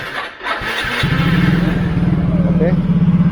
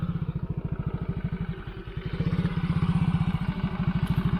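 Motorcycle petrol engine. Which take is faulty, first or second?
second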